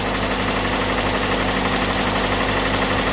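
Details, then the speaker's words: Datsun idling high on choke after engine bay overhaul (valve cover, battery, air filter refitted), now running evenly without the former cold shake and gallop; faint quick light tick over idle, valve tap or possibly fuel pump, unconfirmed; idle still has a dead spot. "I also still hear that valve tap [Music] which I'm now wondering if that's actually the fuel pump"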